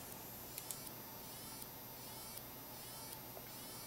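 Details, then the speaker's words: Fluke PM6680B frequency counter's flyback switching power supply, completely unloaded, before repair: faint high whine with irregular ticks as regulation keeps dropping and recovering; suspected, later confirmed, bad precision reference IC, replaced. "you hear that it's it's continues to lock and unlock from the loop and look at the voltage I have no load on it now it's completely unloaded and it still does that so that's why I'm suspecting that perhaps and there's an issue with that reference"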